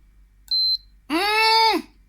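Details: Hatari standing fan control board after connector repair; one short high-pitched beep, then a longer lower tone that swoops up and settles as it powers up normally. Normal power-on beep.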